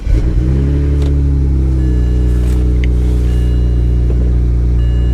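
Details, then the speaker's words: Auction car with low or no coolant, run briefly, no warning lights besides low coolant; engine catches and settles into a steady, even rumble with smooth revs and no knocks or ticks; normal running. "well it runs good no coolant or low coolant so we're not going to run this long engine sounds good there's no warning lights other than low [Music] coolant"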